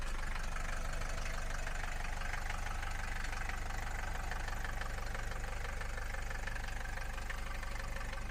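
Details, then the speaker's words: Mercedes 240D diesel after fuel injector repair and valve lash adjustment, previously clanking and smoking heavily: even clatter about four beats a second, steady, no misses, knocks, clanking or smoke; normal diesel idle. "now yeah this sounds really really nice now there's no clanking whatsoever there's not not not any smoke coming out in the end it just it just great"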